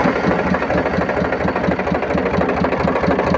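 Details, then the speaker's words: Powertrac tractor diesel idling after water pump repair; steady even idle around two beats per second; front pulley that wobbled and made noise before now spins true, no squeal or rattle. "जैसा कि देख सकते हैं ये अभी हमने engine को start भी कर लिया, और इसका जो आगे से पुल्ली से साउंड सुनाई दे रहा था पहले, और ये जो पुल्ली था ये इस तरह से आगे पीछे बबलिंग होकर और घूम रहा था। लेकिन अभी देखिए बिल्कुल एकदम सीध में रोटेट हो रहा है।"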